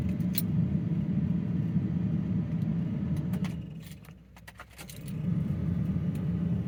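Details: Ford F-350 truck at home just after pickup from Ford, fuel confirmed present: steady low starter churning, a pause, more cranking with no catch; cranks but won't start, cause unknown.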